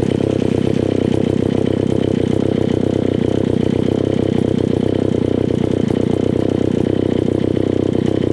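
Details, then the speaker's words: Old, beat-up Alpina Pro 120 chainsaw, 120cc, after a TRK-23HS kit in its HS-144B carburetor: a steady fast idle with a slightly uneven beat, running better than before. A worn piston and low compression are suspected. "this is the carb kit that i used on it it's trk23hs it's an hs 144b carburetor and it's running okay it's running better than what it was"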